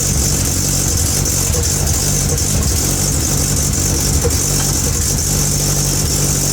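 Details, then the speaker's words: Hyundai Avante (Elantra) idling after broken wires causing misfire were repaired: steady even exhaust pulse, no stumbles; hiss from an exhaust leak at an open clamp, no intercooler fitted; no misfire. "as you guys can hear it. It doesn't got no mis fire and nothing like that."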